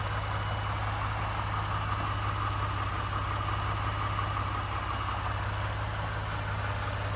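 Steady idle with a low, even rattle and knock underneath, about three beats a second; something is knocking, source not pinned down.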